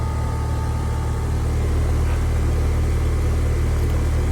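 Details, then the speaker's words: Home AC outdoor unit after replacing failed dual-run capacitor, cool morning: steady low hum of fan with compressor growl, loud high-amperage startup settling down, no rattles or surges; now running normally, blowing cold. "you can hear the little growl or Grumble of the compressor the outdoor temperature is a little cool this morning so it's going to take a minute for it to start circulating the freon that'll give us High amperage and a a loud startup but it'll settle down in just a second"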